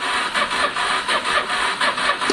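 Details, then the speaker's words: Honda Deauville 650 motorcycle after a carb clean, choke on: slow, labored cranking at about four pulses a second that never fires. The fuel pump is not heard priming. Slow cranking, no start. "it's spinning quite slowly actually isn't it um it doesn't sound healthy at the moment actually it doesn't sound healthy at all"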